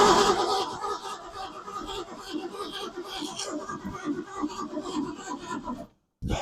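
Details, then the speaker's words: 1965 Ford Mustang 260 V8 after new fuel pump, coil, plugs and 2-barrel carb, fuel primed: quick even rasping crank that never fires; no-start from no spark, distributor later replaced. "wonder now if it's getting any spark or not."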